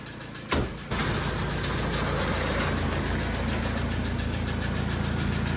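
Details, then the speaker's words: Engine with a suspected blown head gasket, cranking and catching: a rough, uneven knock of a few beats per second over the idle; likely internal engine damage, a damaged piston. "Uh-oh. Sounds like we might have internal engine problems"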